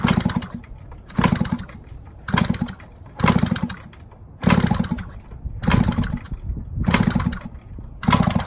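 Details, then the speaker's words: 1970 Yamaha HT-1 90cc two-stroke, engine just freed up, kicked over with spark plug out; each kick roughly once a second gives a firm chuffing push with no firing, showing good compression. "I have compression. Sweet. That's a good thing."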